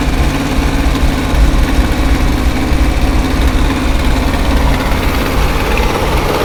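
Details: 1968 International 1500C dump truck, small V8 (possibly 345), first start after sitting about 20 years: steady low rumble, even unbroken beat, no knocks or misses; normal idle.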